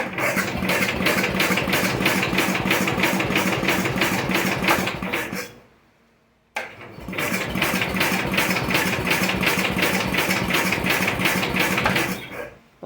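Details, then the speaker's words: First start of a 1973/74 MTD 990 Briggs Big Block engine after a Flo-Jet carburetor rebuild, choked, trying to idle: it chugs unevenly and dies twice. It is leaking fuel and flooded out, and the owner suspects the float is set too high. "oh no it's just absolutely flooded out oh I bet I got the float set too high"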